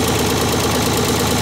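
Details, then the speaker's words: Vintage Ford 3000 diesel tractor fired up after wiring a new universal ignition switch, fuel on, PTO off, transmission in neutral: steady even diesel clatter at idle with no misses or surging, healthy running. "Let's crank it. Like a clock."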